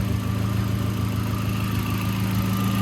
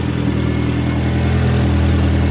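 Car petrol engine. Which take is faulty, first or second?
first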